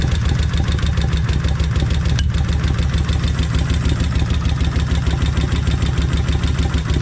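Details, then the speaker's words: Kawasaki Vulcan 1600 cold start after sitting overnight: steady idle with a fast, even, loud tick over a low rumble. The rocker-area lifters are tapping. "I'm going to pull this cover off that way y'all can hear them uh uh solenoids in there clicking and they are loud"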